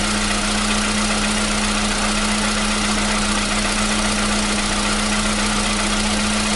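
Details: 2015 VW Polo Sedan (CFNA petrol), 76,000 km, cold start with new battery: even steady cold idle, constant low hum, no rhythmic tapping over about seven seconds; the cold-start knock has suddenly disappeared.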